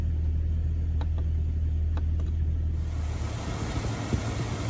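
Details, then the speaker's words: 1999 Jeep Cherokee 4.0 inline-six right after 4-hole fuel injector upgrade: steady low idle with light quick ticking of the injectors; computer still relearning fuel trims, engine settling in and running well. "running pretty good you can hear the little fuel injectors ticking away"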